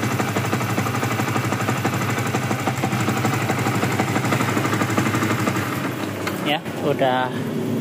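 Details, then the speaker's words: Rebuilt Yamaha Vixion single, after cam-chain jump, valve-to-piston contact and loss of compression, with the radiator not yet refitted. Even, regular idle putter with no top-end knocking or ticking. Compression firm; normal smooth idle. "halus juga suaranya ya dan sudah normal."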